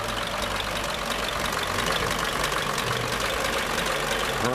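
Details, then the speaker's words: 1934 Ford dually truck after a Stromberg 97 carburetor rebuild for a failed accelerator pump: soft, even idle murmur with no knock or miss; it purrs and runs better than in a long time; normal idle. "This baby is running good. Better than it ever has in a long time. Yes, ha ha ha. Just listen to that thing purr."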